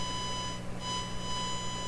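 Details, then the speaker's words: Eveready Model 32 tube radio into a large 8-ohm box speaker: steady test tone comes out harsh, buzzy and clipped because the signal generator input is too strong, overloading the radio. "Doesn't that sound terrible? It sounds like a super duper overload."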